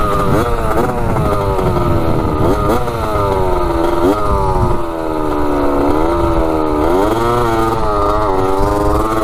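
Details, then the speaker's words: 1985 Yamaha YZ80 two-stroke dirt bike after a rebuild, warm, accelerating: a crisp rasp climbs cleanly through each gear with quick, even revs and no misfire. The silencer is not working well. Normal running under acceleration. "sounds so good yeah she's sounding pretty good that's crazy obviously the silencer is not really working too great but uh yeah she's ripping good wow"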